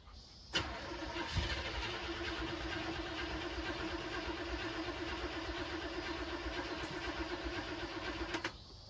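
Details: 1974 Chevy C10, Quadrajet carburetor: cranks, catches, then runs ragged and uneven with a hollow drone; rough running, cause not found, so the carb top was taken off to inspect.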